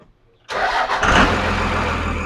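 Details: 24-valve 5.9 Cummins Dodge cranks briefly, catches and settles into a steady even idle after cam position sensor replacement; engine sounds healthy, though tachometer still not working.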